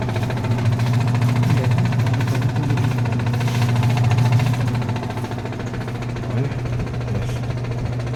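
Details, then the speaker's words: Sharp automatic top-load washing machine after drain repair, spin dry with water already drained: steady low motor hum, even drum rumble, no knocking or scraping; spin now normal at full speed. "so hindi na siya umikot ng spin dry Habang may tubig sa loob So ngayon Okay na yan bilis niya na rin"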